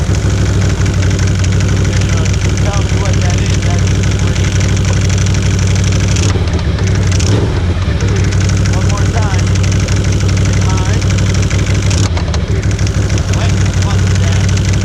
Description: Turns out there is a plastic bracket of some sort inside the secondary clutch, it was cracked in half, causing the broken plastic to flex anytime I would get on the throttle.